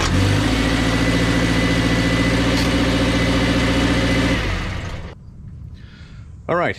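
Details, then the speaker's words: 2019 Subaru Crosstrek after beating bent aluminum Rallitek transmission skid plate away from exhaust: engine idles smooth and even about four seconds then shuts off, no rattle or metallic buzz; normal idle, rattle fixed. "right, so no more rattle. I think we got that thing straightened out good enough to pull it away from the exhaust and also just kind of get it ready for another trip."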